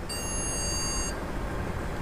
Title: Continuous Beep Sound from CPU and No Display on Monitor